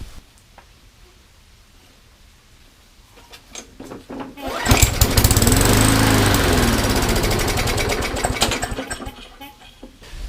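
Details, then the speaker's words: MTD mower with Briggs & Stratton Classic engine that had no compression, after valve seat work: fires and runs about four seconds with a rough, slightly surging beat, then fades; uneven running, owner suspects the carburetor. "good I think they may have a carburetor problem but otherwise I think we are pretty good and of course it's gonna smoke the whole crankcase was full of oil and everything so to be expected"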